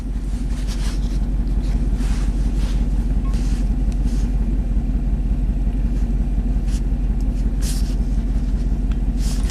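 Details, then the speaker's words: Chevy Silverado 3500 dump truck, 6.0L Vortec V8, 40k miles, idling with a single-cylinder misfire: a steady low rumble with a regular lope, about three stumbles a second. Scanner counts cylinders 1 and 8, but by firing order cylinder 1 is the culprit. "so if number one is misfiring sometimes the crankshaft position sensor picks up that number eight is misfiring you always want to look at the first one if you have a pair of cylinders that's misfire so number one is our culprit"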